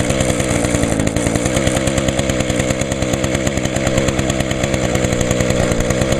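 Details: 2010 Echo HC 150 hedge trimmer (20-in blade), carburetor replaced last year, started on choke with primes: a high buzzy two-stroke note with steady firing and no misses. It is smoking from Deep Creep in the cylinder, expected to clear; running normally.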